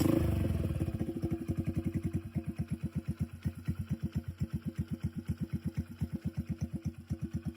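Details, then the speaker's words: Modified Hero Splendor motorcycle with big tyres, engine previously rebuilt after failing: soft even putter settling into a steady idle, about seven beats a second, no knocks or rattle; engine quiet and healthy. "आवाज़ तुम्हें सुना देता हूँ पहले मैं, engine की आवाज़ बिल्कुल साइलेंट है।"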